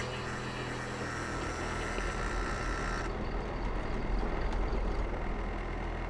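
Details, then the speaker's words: Boat's port diesel engine cranks at about four turns a second, laboring, never catching after the fuel valves were left closed; the cause proved to be a failed fuel lift pump diaphragm (possibly from the closed valves, or just an old pump), which was replaced. "In the end, the issue ended up being the diaphragm on the fuel lift pump. Maybe it was caused by me leaving the valves closed, but it was probably an old pump anyway, and that diaphragm was probably on its way out."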